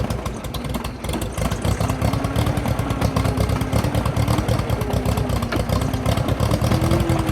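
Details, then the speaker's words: International T340 Drott skid shovel engine, first run after sitting: rough idle that spits and sputters, misfiring; carburetor checked, possibly water in it. "well you heard it kind of spits and spotters i'm going to take the carburetor off"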